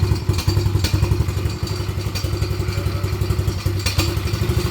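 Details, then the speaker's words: Quad that stopped on the trail and sat almost a year, with Marvel Mystery Oil added to the fuel: uneven, lumpy chugging that never settles into a steady idle; it fires up, but the owner says the carburetor needs cleaning. Rough running. "Yeah, it needs a carb clean. Making that sound last year. But yeah, I know, the carb needs to be cleaned, kiddo, but at least it fires up."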